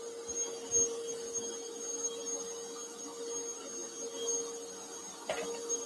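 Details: Bissell Powerforce Bagless 6579-2 vacuum, test run before tear-down; owner notes a smell and squeaky handle, belt issue suspected: steady even motor whine with airflow hiss, no surging, rattling or scraping; runs normally.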